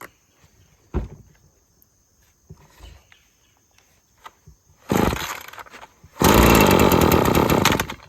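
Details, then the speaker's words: Husqvarna string trimmer with a sticking trigger that keeps cutting off, possibly old fuel: rough, bogging full-throttle bursts that never clear while turning long string, dying below half throttle; carburetor issues suspected. "Yeah, it just wants full throttle on. And you hear how buggy it is? That was at full throttle. Trying to turn that string."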